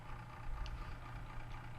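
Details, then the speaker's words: Webcor 210-1 tube reel-to-reel deck, over 60 years old, recapped, back together after a reel-scraping repair, tubes warmed up: a steady low motor hum with a faint whir, a little noisy but normal for its age. "okay well I have it all back together power has been applied the tubes are warmed up you can hear the motor is a little bit noisy but what do you expect for something that's like 60 plus years old"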